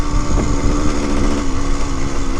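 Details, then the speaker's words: 1974 Honda MT250 Elsinore two-stroke pulls hard and clean to redline with no crackle or misfire. It had never reached redline before new waterproof boots cured the crackling. "that's a good sign that's the first time I've actually redlined it it would never make it before"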